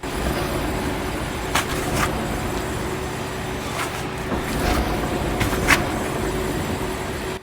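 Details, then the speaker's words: Steady low groaning rumble with a faint grinding edge as the wheel is spun by hand: a worn wheel bearing, deeper groan when turned faster, louder at higher driving speed. "You hear that? That is the bearing going out. You hear that lower groan grinding sound? That's going to be amplified when you're driving a faster speed."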